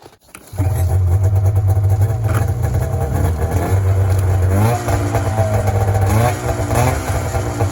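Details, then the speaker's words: 1994 Polaris Indy 440 snowmobile, two-stroke, rear propped up, revved: drone hesitates and flattens with a bog around 4500 rpm as it comes onto the pipe, then takes off; cause unconfirmed. "so it seems to be coming onto the pipe around 4500 RPM there's a bog and then it takes [Music] off"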